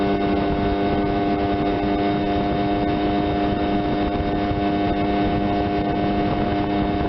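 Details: 1976 Johnson 15 hp two-stroke outboard under way after carb rebuild, new fuel pump, fuel lines and points, Sea Foam decarbonizing; compression 130/127; 21 mph on GPS. Steady, even buzzing drone at constant speed, no misfire or stumble. Normal running under way.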